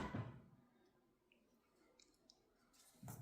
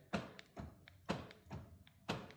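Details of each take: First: Rover 75 door locks after repair, full set now working: crisp solid clunks in quick groups as each actuator snaps home firmly; normal door lock operation. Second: Rover 75 door lock actuator heard thunking softly about once a second inside the door on unlock, but the lock pin doesn't rise while the others do; the actuator is failing and will be replaced with a used lock.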